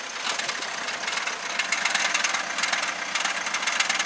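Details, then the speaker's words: Korean car with 1.7 engine and DCT gearbox, heard best from inside the driver-side wheel well: fast dry metallic rattle at idle, often mistaken for engine or head failure; actually the dual-clutch transmission. "예, 딸그락딸그락 소리가 나요. 실제로 이 DCT 미션 관련해서는 이 수출단지에서 정비를 하시는 분, 정비사분조차도 처음에는 야 이거 엔진 나간 거야, 이거 헤드 나간 거야 이렇게 얘기를 했거든요."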